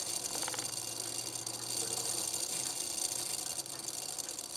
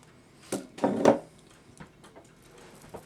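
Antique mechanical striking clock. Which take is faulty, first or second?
second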